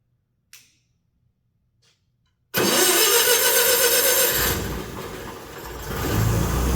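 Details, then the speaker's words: Wisconsin Motors V465D air-cooled engine, Teledyne era, low hours, ex-concrete saw, cleaned out and tuned: two quiet clicks, then catches at once and settles into a steady, even run; healthy start, runs like a top, nice and tight. "And man, she runs like a top, nice and tight."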